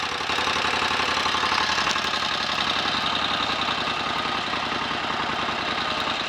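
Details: 1930 Royal Enfield 1000 cc Model K V-twin, kick-started, left on fast idle to check charging and lights: brisk, even beat with busy mechanical clatter on top, steady throughout; healthy normal idle.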